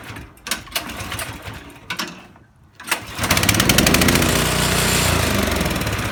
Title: Misfiring snowblower